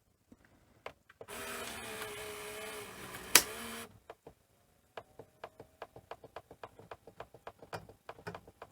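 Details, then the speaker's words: Panasonic NV-V8000 SVHS VCR from about 1990 with suspected power supply fault: seconds of motor whir, then uneven mechanical ticks and clicks; head drum motor still slow and capstan jammed. "Oh, and that head motor is still slow. Oh yeah, of course we've got a jammed"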